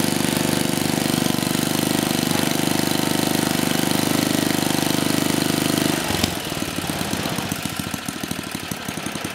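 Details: 34-year-old Tecumseh H30-35387Y on a Troy-Bilt Tuffy tiller, with a new clone carburetor being adjusted after a no-compression repair; runs fast and steady, then drops to a slower loping idle; firing clean and regular.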